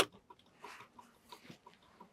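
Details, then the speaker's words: Volvo C70 cabin, ignition on: faint, even clicking a few times a second from the unbuckled-seatbelt indicator relay (No. 12); the clicking stops when the belt is buckled, confirming the seatbelt warning relay. "ремінь все у нас перестало воно клацати тость дійсно воно йде на ремні"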